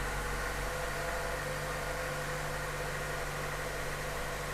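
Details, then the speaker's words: Chevy Cruze 1.4 turbo, first start after head gasket and piston ring replacement, no coolant added, oil primed beforehand: even steady low idle, smooth hum, no ticking, knocking or misfire; oil pressure present, no check engine light. Normal idle. "sounds pretty good check the oil pressure light and we've got oil pressure"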